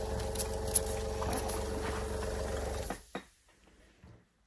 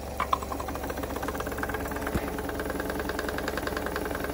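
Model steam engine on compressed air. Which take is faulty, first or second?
first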